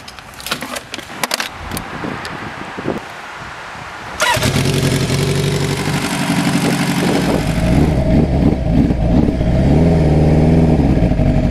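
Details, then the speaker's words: 1986 Kawasaki GPZ 1000R at operating temperature: starts, then idles lumpy and uneven, stumbles and shuts off past slight throttle; hot misfire blamed on bad aftermarket eBay ignition source coils. "once we got to operating temperature this bike is just flat on its face it will not let me go past throttle without shutting off"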